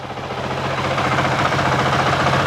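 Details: 2023 Honda CRF450X after San Diego Powerhouse thermostat delete kit and emissions delete, end of 5-minute idle test: even, steady single-cylinder idle, smooth low thrum, no knocks, ticks or misses, sounds about the same as before; normal healthy idle.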